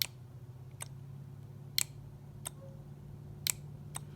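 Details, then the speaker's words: John Deere 310D backhoe reverser solenoid valve tested on the bench: sharp, separate clicks about a second apart over a low hum as each coil is energized and the spool moves; sounded more energetic in one direction when installed in the machine. "you can see the valve is in fact moving [Music] and i guess what's strange as it sounds more when when this was in the machine"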